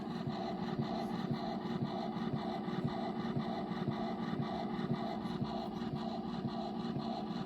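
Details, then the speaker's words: Vintage Tele Tone record player: soft regular thump about twice a second over quiet motor hum, from a dent/divot in the out-of-round idler wheel; idler wheel thump. "so when the when the uh Arrow gets to that it's making it jump that's the noise you're hearing so I'm going to try to get rid of a little bit more of it"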